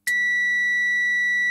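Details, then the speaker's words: Miele dishwasher heater relay (F24 fault, heater not working) bench-tested with a continuity tester on mains: a click, then a steady, unbroken high beep, showing the contact on this side closes properly; the other side later showed no contact. "but this one onto there onto the one on on that side and when i switch it on it should go click and we should get a beep"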